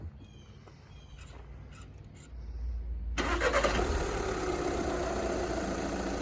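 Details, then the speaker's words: 2013 VW Jetta Sportwagen TDI diesel, right after a fuel filter change: short crank that catches cleanly into a steady, even diesel idle clatter; healthy start. "but yeah she's up and running ready for uh some more service"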